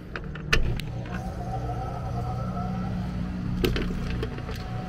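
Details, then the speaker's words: Startup of an AC condenser after repair. A mounting screw had shorted a high-voltage leg at the disconnect, causing an intermittent breaker trip and no cooling. Steady low hum, even drone, a couple of light clicks, no rattle or buzz. Normal running. "all right so I'm about to fire it"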